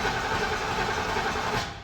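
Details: Chevrolet C10 started via newly installed Banvie push-to-start alarm system: short crank that catches promptly and runs briefly before fading out; clean, normal start with no struggle.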